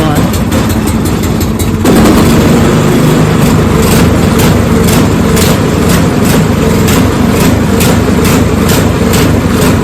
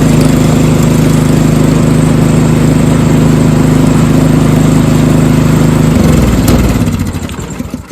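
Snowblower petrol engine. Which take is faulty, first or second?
first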